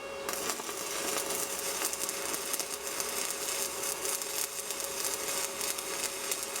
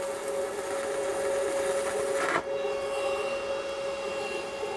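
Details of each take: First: Steady, even crackle and hiss with no pops from a budget Sepaspe Arc 200 stick welder laying a root pass on plate; smooth, stable stick arc. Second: Arc welding a 309 stainless rod on scrap with a budget Sepaspe Arc 200 stick welder: steady crackling arc hiss turns uneven and poppy near the end as the rod overheats; sputtering is from the hot rod, not the machine.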